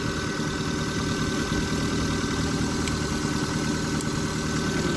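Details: 1999 Mazda Protege idling after cleaning a dirty MAF sensor, owner blaming it for poor running: steady even idle, low hum, no misses, stumbles or hunting; settles smoothly and sounds healthy.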